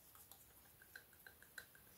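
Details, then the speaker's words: BMW F10 N57 diesel with 165,000 miles, EGR valve removed and flap worked by hand: light irregular ticking rattle from a worn shaft with play; mechanical wear makes it lock so the motor can't close it, triggering a fault. "so this is worn and the problem here is simply mechanical rather than electrical so it just locks in here and then it won't release"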